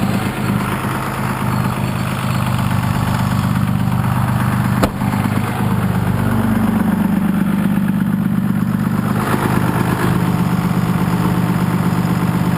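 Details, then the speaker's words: 1993 Dodge W350 with 6.2L Cummins, about 200 miles on the new motor, at idle: a slow, uneven throb and pulsing tone shifting up and down; exhaust brake cycling because the switch wires aren't soldered and are vibrating loose. "actually the wires wires aren't soldered on so they're kind of just vibrating that's a problem"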